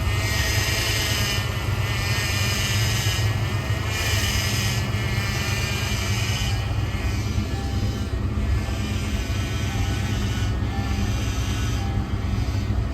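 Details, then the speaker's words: 1986 Ford Mustang GT running, power steering pump replaced last year and filled with Prestone fluid: whine swells like a supercharger each time the wheel is turned; owner blames the fluid and plans to flush it. "So it almost sounds like a supercharger every time you turn the wheel in. I've gotten tired of that, so I'm gonna do what I can to fix that today."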